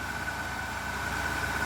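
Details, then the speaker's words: Ford Capri XR2 four-cylinder after a head gasket repair, now firing on all four cylinders instead of three, with timing still unchecked: steady, even low hum with no stumble and no shaking; normal idle. "Now that it's actually running on 4 cylinders, unlike before that it was just on 3, but yeah, you can just hear the difference. You can see it because it's not shaking."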